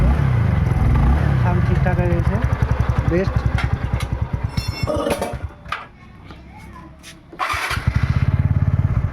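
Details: TVS Ntorq XP BS6 scooter after fixing a loose nut behind an engine noise: even, steady low thump at idle with a brief dip midway, no knocks or rattles; normal idle.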